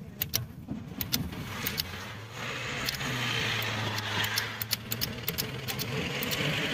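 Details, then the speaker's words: Maruti Swift that won't start, injector not getting diesel supply: the switch is bench-tested on a battery and gives crisp, repeated ticks each time power is applied, so the switch works fine; the fuel pump is suspected instead; normal switch ticking. "Sound आपको सुना रहा होगा की मेरा जो switch है बिल्कुल बढ़िया है कम कर रहा है टिक टिक देखिए फिर से बिल्कुल परफेक्ट है इसमें कुछ प्रॉब्लम नहीं है"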